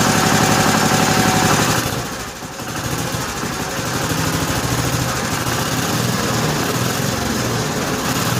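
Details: 1955 Cushman Truckster after the fuel line was blown out with a long nozzle, idle setting unknown; even single-cylinder putter, about four beats a second, settling after a brief dip, no smoke, quiet through a homemade EMT-conduit exhaust: smooth, healthy idle.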